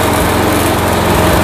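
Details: Old Craftsman walk-behind trimmer with Briggs & Stratton Quantum engine, after carburetor cleaning and drive cable replacement: steady petrol buzz, even exhaust beat with no misses or surging under drive; normal running.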